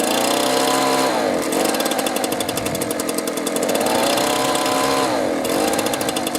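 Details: Two-stroke leaf blower stored over winter with year-old fuel: runs only with choke on, buzzing pitch sagging and recovering then dying when switched to run; suspected fuel starvation from clogged carburetor, fuel line, filter or water; engine bogging.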